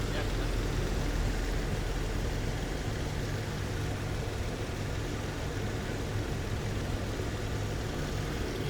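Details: 2013 Jeep Wrangler JK started after water pump replacement and antifreeze top-up, checking for leaks while still burping air; low, steady even rumble with no knocks or squeals; normal idle.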